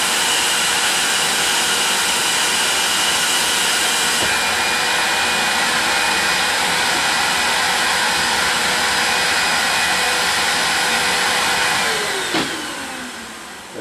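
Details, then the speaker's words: Vacuum-forming box drawing a heated, sagging plastic sheet over P-38 part molds: a steady high rushing roar that sweeps down in pitch near the end as the sheet seals. Normal vacuum draw-down. "what i'm looking for as soon as i set it on there you're going to hear a swoop sound it'll be the vacuum sucking it down"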